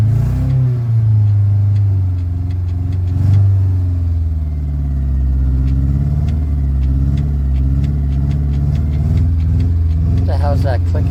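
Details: 2001 Honda Civic LX revving while owner checks alternator: light rapid clicking over engine as it revs and settles; source unclear.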